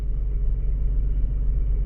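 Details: Mazda RX-8 rotary after swapping in a used oil metering pump (OMP) and moving the sensors over to fix limp mode, engine light now off: steady, even low rumble with no knocks, misses or hunting; healthy idle.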